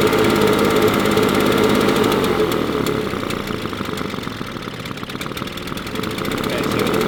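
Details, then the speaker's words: Husqvarna 350BT leaf blower, previously sputtering at full throttle, after replacing carburetor, spark plug and fuel filter: steady high two-stroke buzz at even speed, no sputtering or dropouts, much better than before; normal running. "well I can tell you that this is running much better than it was before"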